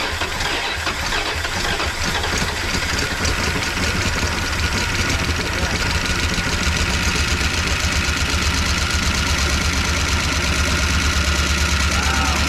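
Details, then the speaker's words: 1988 Dodge Power Ram, sat 23 years, engine freed from locked-up state on at least two cylinders, new intake, needs oil change: uneven, lumpy idle with loose irregular beat but no knock; rough idle. "A little noisy. She needs an oil change. Sounds a little rough. But, you know, it's not knocking, so that's something."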